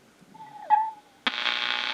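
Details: Restored Motorola 68L11 tube radio: a thin ringing note hangs under a second at start-up before the set hisses up; microphonic tube, still ringing after the change but less badly than the other tube.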